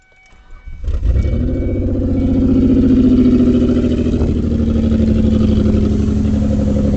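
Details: 2003 Ford Escape petrol engine with a lumpy idle and recurring stumble from a misfire; coils unplugged one at a time to find the dead cylinder, idle drops on working coils.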